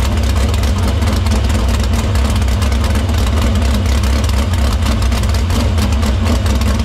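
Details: Dirt Silver Crown race car fired in the shop after a fuel line fix, filter cleaning and fuel fed through the pump and main lines to the barrel valve. A heavy, steady low rumble keeps an even beat without stumble or miss. Fuel system checks out: normal running.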